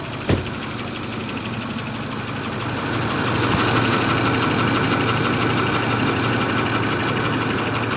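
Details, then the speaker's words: Truck that will tow a rebuilt trailer on a 2-hour haul, cold idle right after it starts right up: dull, fairly regular knock about three per second over a low rumble. The knock is intermittent and comes and goes; cause unknown. "It's an intermittent knock. not an always knock. It's a only sometimes knock. Which is weird."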